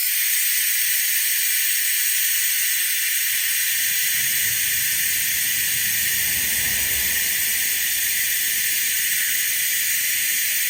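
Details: Harbor Freight venturi vacuum bleeder on shop air vacuum-testing a Jeep YJ cooling system, aiming for about 25 inHg; steady, unbroken high hiss of air through the venturi, normal operation. When the air was shut off, the vacuum dropped, indicating a coolant leak.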